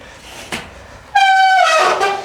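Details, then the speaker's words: Bicycle disc brake applied: a loud, steady, high-pitched squeal that drops in pitch near the end. Typically caused by road grime or oil contaminating the brake rotor. "today we're going to be talking about contaminated brakes now this is much more common on disc brakes it happens when some Road Grime or some oil perhaps gets onto the brake rotor"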